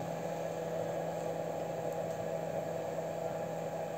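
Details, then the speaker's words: Replacement fan on homemade gas-cylinder wood stove, microphone placed near it: soft steady whir with faint even hum, no rattle or wobble; supplies air well and runs quieter than the old fan. "то есть отлично подает воздух но потише чем чем тот"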